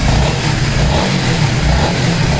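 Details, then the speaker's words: Honda CBR 150R Repsol after repair: torn radiator rubber mounts let the iron guard hit aluminium, causing rattle; now fixed, steady full engine note with small rev swell, no rattle or metallic tapping; runs cleanly. "অবশেষে complete হয়েছে মোটামুটি, এখন sound আর নাই। Test করে দেখাচ্ছি আমি, এই start দিলাম, যে একটা এক্সট্রা সাউন্ড হয়তো নয়েজ, সেটা আর হচ্ছে না।"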